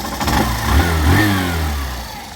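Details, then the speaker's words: BS6 motorcycle after replacing the cam chain tensioner (adjuster): throttle blips and settles smoothly, no rattle or ticking on or off throttle; before, noise came at idle and vanished when throttle opened. "ये एलेटर पर आवाज आ रहा है और ना ही ये एलेटर छोड़ने पे आवाज आ रहा है कि अभी ये सही हो गया"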